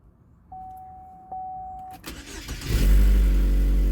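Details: 2012 Chevy Equinox/Terrain with junkyard replacement engine, first start after install and reconnecting a loose connector: clicks, quick cranking, catches into strong steady idle; loud exhaust suspected from exhaust manifold not seated to collector, slight stumble noted afterward.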